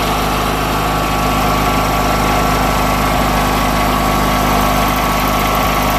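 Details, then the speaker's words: Junkyard Briggs & Stratton opposed-twin engine, one breather blocked off: smooth, even hum at raised throttle with no misses, knocks or surging; running well apart from the breather issue. "I say it's running pretty good other than the stupid breather issue which"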